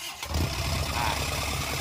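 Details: Isuzu NHR55 (4JB1) diesel, unused for a long time, started by wiring the injection-pump solenoid and starter straight to the battery, radiator not fitted. It cranks and catches into a lumpy, uneven idle. A leaking or maladjusted valve.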